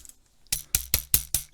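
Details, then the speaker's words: Topre keyboard assembled in its case before the gasket is installed: each keystroke gives sharp, loose, maraca- or tambourine-like rattles about five per second; the case rattles freely for lack of a gasket, though this plate rattles least of any Topre board. "a maraca or tambourine. I don't know. In this plate, rattles the least amount out of any Topre board."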